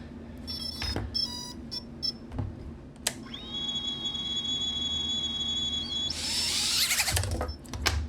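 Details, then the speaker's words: Tiny whoop AIO flight controller after a bad re-flash, with two motors/ESCs faulty: repeated short high beeps, then a long steady two-tone beep as the ESCs keep resetting instead of arming. The front motor barely twitches; the cause (motor, ESC or soldering) is unconfirmed. "I do hear the beeping of the ESCs resetting, so I don't know what that tells me."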